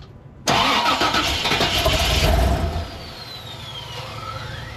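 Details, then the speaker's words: 1988 Chevy Suburban 7.4L 454 that cranks but won't stay running: cranks, catches for about two seconds, then dies; gauge showed no fuel pressure, fuel pump suspected, gauge still to be verified. "so I just check the video I had to turn off the camera and check the video and seems like there's no fuel pressure"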